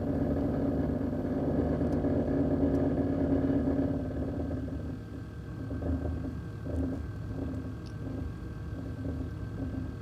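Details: 2001 Chevrolet Silverado LS 1500 engine running with a loose, uneven rattle over the steady rumble; cause unknown.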